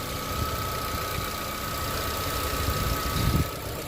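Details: Chevrolet Corsa Classic 2011/2012 petrol engine after the water pump was refitted and timing set exactly: a steady, even low idle rumble with no knocking or rattling; the earlier strange engine noise is gone.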